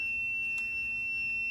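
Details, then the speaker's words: Samsung refrigerator not cooling (freezer -2, fridge 44°), unplugged. A meter continuity test through the compressor, overload and windings at the control board to the sky-blue neutral wire gives a clean, steady high beep: complete circuit. Bad compressor relay on control board blamed. "so I should have a completed circuit to this point and when I stick my meter in there I have a completed circuit I get the beep"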